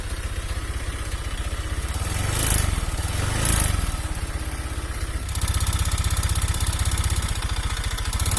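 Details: Honda Vario 125 fuel-injected scooter at idle: an uneven, coarse putter with a rough, loose chatter underneath. Piston-to-block clearance is worn, causing weak compression and hard starting.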